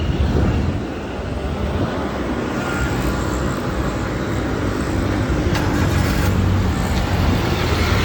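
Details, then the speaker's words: Maruti Suzuki Alto small petrol engine after silencer repair: steady, even low exhaust drone with no blowing or rattling; the earlier beating sound came from a broken silencer barrel with broken internal baffles, now fixed and back to normal sound. "සද්දේ ආයි තිබුණා sound එකටම ඇවිල්ලා තියෙනවා. සාමාන්‍යයෙන් beat එකක් ගහලා වගේ තිබ්බේ බැරල් එක කැඩිච්ච නිසා."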